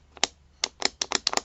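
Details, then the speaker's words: Harbor Freight electric chainsaw pole saw, after cleaning the trigger switch that made it cut out mid-cut: crisp, distinct snaps with no hesitation; switch now clicking properly. Normal switch click after repair. "Alright, so it is all buttoned up, and that actually sounds better. The click on that sounds more like it's doing what it's supposed"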